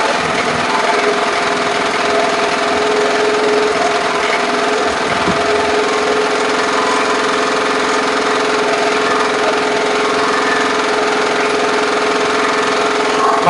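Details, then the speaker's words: Briggs & Stratton lawn mower engine that was over-revving, after dumping suspected water-contaminated fuel and adjusting governor spring tension: runs hard with rattly uneven chatter and banging; suspected leftover water in carburetor, loose muffler found. "ttle high sounds like something's banging a little bit and it's kind of lining might still be a little bit of uh water in that carburetor that it's working out"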